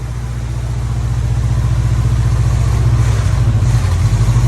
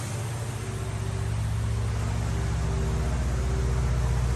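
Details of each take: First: 1950 Plymouth Deluxe, off the road 23 years, running from a gas can after a carburetor fuel filter and new plugs: low idle with slightly uneven beats, keeps running but a bit rough; choke doesn't work great. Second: 1950 Plymouth Deluxe, off the road 23 years, after a carburetor fuel filter and new plugs: low, steady burble of about four beats a second holding even; idling on its own using the engine fuel pump.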